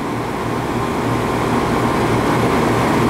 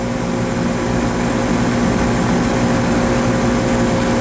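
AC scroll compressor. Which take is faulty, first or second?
second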